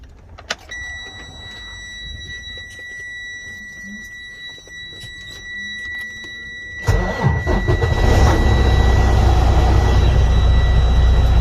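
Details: Freightliner Cascadia with 10-speed transmission: steady warning tone, diesel starts, then a loud, rough, rhythmic rumble from internal transmission gear damage.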